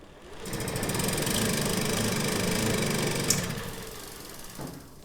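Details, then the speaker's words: 1979 Puch Magnum MKII two-stroke moped, stored about 40 years, pedal-cranked during a compression test: even chuffs, about 220 a minute, no knocks. Reads about 140 psi, against a 100 minimum, possibly skewed by oil in the cylinder. "Nice. And according to the tester, right about 140 psi. So, that is more than enough for this engine to run."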